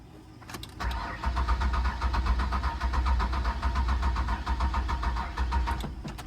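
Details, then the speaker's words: 2003 Ford Windstar van with water-contaminated gas, no fuel reaching the engine: the starter turns it over in a steady churn at about four beats a second for five seconds but it never fires; cranks, no start, owner suspects a clogged fuel filter. "Fuel is not getting to the engine. Okay, let's see if we can get the van started."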